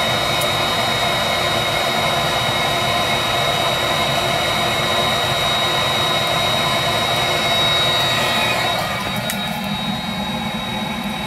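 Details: Viessmann Vitodens 200-W WB2B35 condensing boiler, built about 2011, in service about 5 years: steady blower rush with a thin high whistle and no burner roar. It is in its hung state, fan and circulator pump running but burner not lighting, no fault codes; cause unknown.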